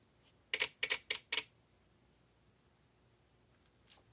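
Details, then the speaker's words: VXT-24 boiler feed relay on a 24 V bench test, with water dripped on the manual feed switch to simulate the leak that flooded a steam boiler: a burst of five sharp clicks, then a lone click, as the counter climbs. Relay chatter from a water-shorted feed switch. "so as this goes on what what will happen is this will start to count up saw their freaking geiger counter that's it"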